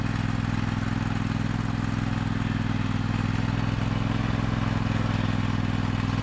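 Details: 2003 John Deere L120 hydrostatic mower, Briggs 20 hp V-twin, after bleeding the hydrostatic transmission: steady even drone, low rumble, light clatter, no misses or knocks; healthy.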